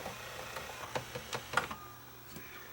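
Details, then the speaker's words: JVC HR-FS1 VCR: a few faint clicks and clunks from the tape transport but no spool whir. It fails to rewind. "Okay. It's not It's not rewinding. Is it going to eat the tape when I eject it? Oh, that doesn't sound good."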